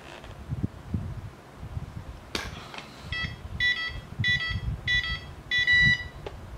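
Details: CX-20 drone after a bad crash, with motor wires resoldered and a capacitor replaced after being fitted with reversed polarity: on battery it gives repeated short high beeps with no LEDs. It works only on USB power; the owner suspects a fried flight controller or a faulty LED board.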